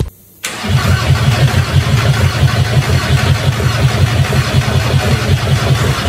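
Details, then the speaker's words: 1.9 TDI diesel first start after a reconditioned cylinder head, reground crankshaft, new injector tips and fresh oil: brief crank, quick catch, settles into an even diesel idle with no misses or knocks; runs nicely. "Mindenki nagy örömmel teli ma. Begyúlt szépen jár nagyon a motor."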